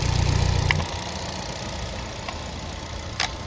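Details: Hyundai i20 petrol engine after full rebuild for no-start with no compression, AC line not yet connected: soft, low, even idle rumble with only faint light ticks, no knocking or misfire; normal idle.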